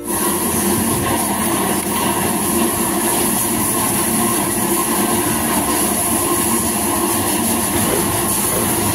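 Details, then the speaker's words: Yamaha Aerox 155 scooter first start after replacing the ignition coil with a long-cable coil and cutting the old wiring; steady, even running note with a faint high whine, no stumbling or cutting out, engine runs normally. "alhamdulillah ah hidup cuman nanti kita mau tes juga ya tesnya seperti awal tadi kita tes pertama"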